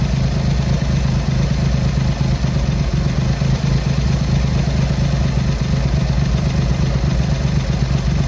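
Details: Triumph Hurricane X75 triple after carb rack rebuild, pilot screws richened, left carb adjustment corrected: steady, fairly even low idle with slight rich lumpiness, no misses or knocks; dark smoke off idle; road test needed for further tuning.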